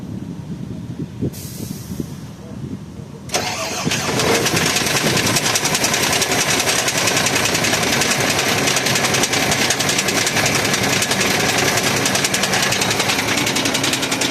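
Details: Towed-in Shacman truck with WP13 diesel: starter cranks, engine catches into a loud harsh run with rapid steady clatter on top; knocking audible right at start-up.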